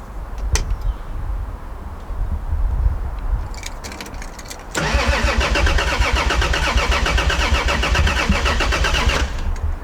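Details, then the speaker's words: Toyota Supra turbo six, first start attempt in 15 years, no coolant, on a clicking jump battery pack with a dodgy immobilizer; starter spins at a steady fast rhythm for several seconds but never fires. Crank, no start; owner suspects no fuel. "okay I mean to be fair it sounds like it wants to well it would do I mean there's probably no fuel"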